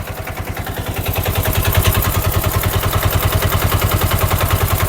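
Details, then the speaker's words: Rebuilt Bajaj BS4 diesel auto-rickshaw engine, full bore, just fitted, push-started due to flat battery; steady even idle about two beats a second, firm low thump, light clatter. Tuned for smooth, quiet running. "మనోడు ఏమన్నానంటే బండి engine రన్నింగ్లో ఎక్కువ శబ్దం రాకుండా చేయండి అని చెప్పిన అనమాట. అందుకే స్మూత్గా పెట్టినాం, బీడింగ్ స్మూత్గా రావాలని."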